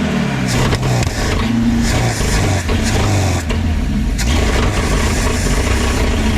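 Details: 1952 Packard 327 straight-eight, exhaust down tube removed (loud open exhaust) and vacuum leak plugged: loud, steady low run, even firing, no misses or knocks; running smoothly, oil pressure about 20 idle, 25 revved.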